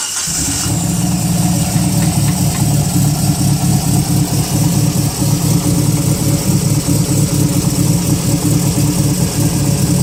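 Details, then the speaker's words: Mitsubishi Mirage converted to Evo IV coupe, engine already more or less warmed up: catches and settles into a firm, even idle with a steady low rumble, no knocks or misses; normal warm idle. "it's already more or less warmed up. So if we show you the launch control, don't worry, it's not a cold engine."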